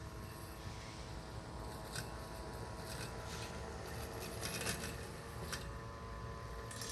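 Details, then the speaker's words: Husqvarna AutoMower 450X robotic mower on its first mow of grass uncut for over 10 days, near the end of a section: faint steady motor hum, even blade whir, no bogging; normal running under light load. "you can hear how the blade isn't working that hard anymore so you can pick up on that sound"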